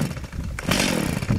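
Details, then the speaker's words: Stihl MS 170 chainsaw on full choke: one pull gives a short loud bark as it fires and dies, the normal false start signalling to stop pulling and move to half choke. "all right did you hear how it barked it tried to start up that's where you stop pulling on it in full choke"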